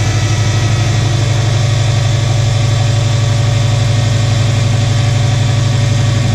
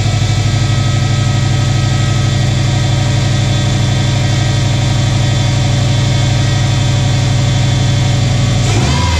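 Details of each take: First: 2006 Subaru Forester 2.5 right after replacing all four coil packs and spark plugs: reluctant start, then settles into a steady low idle with a smooth even beat, no misfire or knock; hard start, cause not confirmed. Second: 2006 Subaru Forester 2.5 on first start after replacing all four coil packs and spark plugs. Smooth, even low idle at roughly three pulses a second, with no misfire stumble or ticking; running healthy.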